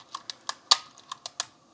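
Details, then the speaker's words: Sony WM-FX571 radio cassette Walkman, no tape, just after battery inserted: seven sharp bright clicks in about a second and a half, then quiet; tape mechanism resetting, normal for this unit. "you see as soon as you put something in the battery in there did you hear the noise"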